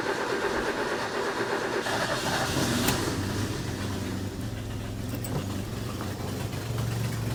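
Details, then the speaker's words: Bullnose Ford 300 cu in six after swapping the single-barrel carb for a two-barrel: first start on choke catches quickly and settles into a steady, even idle with no knocks or misses. Sounds healthy. "Wow. My gosh, will you just look at or listen to that? Can you guys see this? Holy cow. I did not expect that to actually work."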